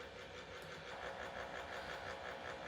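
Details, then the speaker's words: One-year-old Acer Predator Helios 300 (GTX 1660 Ti) GPU fan at base rpm, already repaired once: coarse buzzing rattle with a fast warble instead of a smooth whoosh, easing at higher rpm; owner suspects a failing fan bearing. "so as you can hear the fan is making incredible noises and this is after sending it in for repair the first time was three months after ownership"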